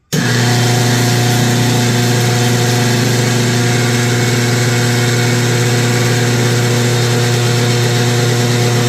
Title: KitchenAid making grinding noise losing and slowing down when higher speed